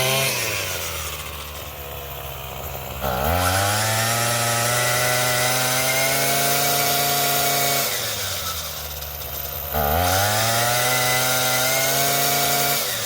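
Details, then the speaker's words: Craftsman 27cc two-stroke string trimmer, made January 2013 and obtained free: a crisp buzz climbs with the throttle twice, holds steady at high revs and drops back clean; normal running, sounds pretty good, though it is smoking. "sounds pretty good. Yeah."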